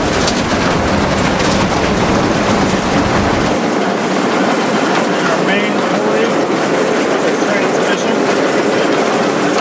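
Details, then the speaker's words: Abandoned combine revived, header clutch engaged after lubing: even continuous mechanical churning with no knocks or grinding as the head spins up; drive turns freely, unlike the seized corn head. "Seems like our head's pretty free. Kind of snapped open and everything worked. A lot better than the corner head."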